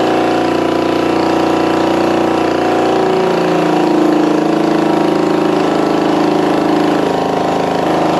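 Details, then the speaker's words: Restored 1965 Honda CB450 Black Bomber, revived from a seized engine, first run in the frame on choke with the throttle not working: steady, even twin-cylinder idle with a smooth exhaust beat and no knocks or misses. Healthy. "yeah I don't think my throttle's working but that's a runner sounds good"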